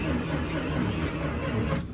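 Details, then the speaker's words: Slow starter cranking with a squeak on each turn and no firing yet, from a 1978 Plymouth Volare Super Coupe on a fresh battery, before fuel was added; it sat 3-5 years after about a decade parked, and seems to have some life. "squeaky but sounds like it might have some life to it"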